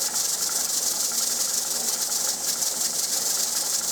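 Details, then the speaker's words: Pressure canner processing pints of turnips for 30 minutes: steady hissing with fast rattling jiggle of the weight; normal pressure regulation. "i just want to see that that's regulating the pressure inside the counter it should do that about four to five times"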